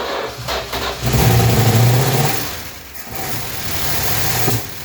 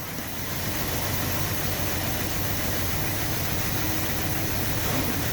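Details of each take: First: 1966 Chrysler New Yorker, parked 18 years, drip-fed fuel into the carb: engine fires and rises briefly, then sags and stumbles into a lumpy uneven run before fading; fuel starvation, carb needs a rebuild. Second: 1966 Chrysler New Yorker V8 after 18 years parked and a carb clean, warmed up with radiator warm, thermostat working, clutch fan off: even, steady idle with no misses, knocks or ticking; hydraulic lifters have quietened, normal healthy idle.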